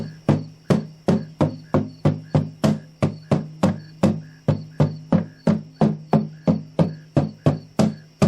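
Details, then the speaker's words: 1941 Kay-built Silvertone Artist archtop guitar, cracked from dryness: each knuckle tap on the top gives a buzzy rattle from a broken, loose brace hanging from the top. "That rattling, buzzy, fuzzy sound. That is a loose brace."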